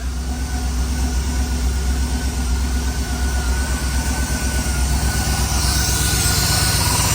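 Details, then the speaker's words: Ford Crown Victoria petrol engine after intake manifold replacement, idling high; even but raised idle with a faint steady hiss from a large intake vacuum leak, and idle drops once the leak is fixed. "Oh, hey, see this? That's a pretty big vacuum leak there, boys. Let me fix that real quick. Oh, yeah, that helps. That's why she was idled so far up."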